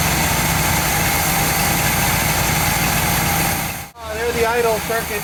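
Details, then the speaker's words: 1959 GMC pickup, 327 small-block Chevy V8, first start in 15 years, idle mixture screws backed out another half turn: uneven stumbling idle that won't settle, then dies out; still too lean to hold idle on its own. "in hopefully no not going to do it so um it it at this point is close to running on its [Music] own but it still is too lean"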